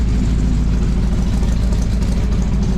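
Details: Toyota FJ40 first fire-up after a tune-up, exhaust leak repair, V-band clamps and new aluminum fuel lines; steady low rumble, even beat, no exhaust ticking, quiet idle. A fuel problem and smoking headers followed.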